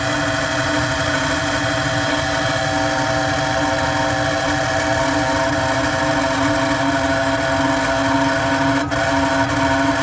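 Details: Carrier Weather Maker 800 TS furnace: loud steady running with harsh rough grinding drone and strong constant hum; blower motor failing, needs replacement.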